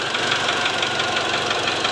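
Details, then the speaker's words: Mitsubishi Triton diesel with a previously reconditioned engine: sharp, regular knocking ticks over a rough idle, unchanged when injectors are unplugged; suspected worn or loose cylinder 1 piston from poor oil spray, overheating and seizing. "Tidak lama kemudian, suara ini muncul. Hal ini juga dapat terjadi karena penyemprotan oli yang buruk di silinder nomor satu, yang menyebabkan piston menjadi terlalu panas dan macet."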